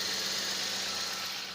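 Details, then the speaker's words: Toyota Corolla with intermittent hard or no start, after replacing the igniter and four high-tension cables, with fairly new spark plugs, on a borrowed battery: quiet, even idle with faint steady hum, no misses or knocks; charging 14.4 V. "So ito siya naikabit na rin natin at umandar na siya. Okay naman na siya. So far so good."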